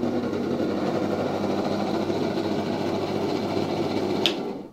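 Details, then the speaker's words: 1970 Zelmer 01 vacuum cleaner with East German Suhl type 1004.2/5 motor, bench-tested on a 24 V safety transformer: low, uneven buzz with scraping, stalls with a click, then restarts; rotor rubbing the housing, bearings very worn, windings seem fine. "Bardzo powolutku i obcierając tutaj obudowę. O, teraz nie może ruszyć. Teraz znowu ruszył."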